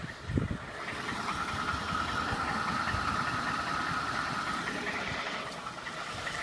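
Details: 2012 Ford F-150 5.0 V8 at idle: faint light tapping about two to three per second over the engine hum; knock source unclear.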